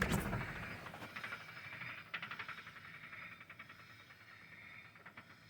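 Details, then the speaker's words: Wheel spun by hand: rhythmic clicking about four per second fades and slows as it coasts down, seeming to come from inside the differential pumpkin. "see it stopped even though that's spinning but can you hear that it sounds like it's coming from inside this pumpkin here"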